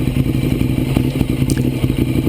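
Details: 2009 Ducati 848 after fuel pump hose repair, idling during leak check: even, lumpy V-twin idle with evenly spaced pulses, no misses, knocks or rattles; healthy, no leaks seen.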